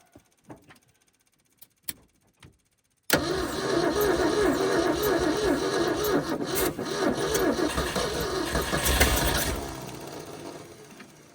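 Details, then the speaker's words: Abandoned 1971 Ford F250 parked 30 years, at −15 °C, fed fuel shots from a gas can with its accelerator pump busted loose. It cranks steadily, nearly catching a few times, then fades as the battery drops; owner suspects stuck valves: cranking, nearly starts. "Oh, does she want to go? Accelerator pump busted loose on this one too."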